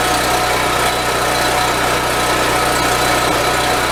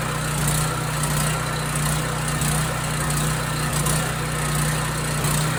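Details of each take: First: Husky portable generator, previously stalling after about 5 minutes, with its carburetor cleaned and reassembled, run strapped on a forklift. A loud, steady engine drone with constant pitch and no surging or dying over these seconds. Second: Husky portable generator that runs about 5 minutes, then shuts off; cleaning the idle mixture jet didn't help, and the carburetor is to be cleaned next. A rough, uneven beat with a drone that swells and sags as the engine speed hunts.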